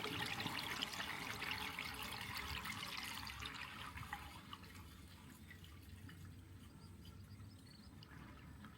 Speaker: No water coming out, which is great. So, I think we're I think we're good. I think we're good to go.